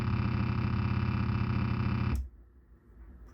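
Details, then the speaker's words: Dahlquist QX125S powered subwoofer, circa 2002, rated 180 W: harsh heavy low buzz roars about two seconds at switch-on then cuts; something on the amp board is faulty, cause not yet found. "Basically what happens with this one, when you turn it on, there's a very nasty sound. So something on the board is dodgy."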